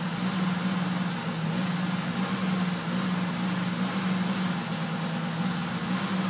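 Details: 1998 Dodge Caravan 3.3L V6 flex fuel held steady at 2,500 RPM drones unevenly, misfiring, backfiring and cutting out; it runs perfectly until warm (10-15 min). Fixed by flex plate repair and replacing a faulty aftermarket cam sensor.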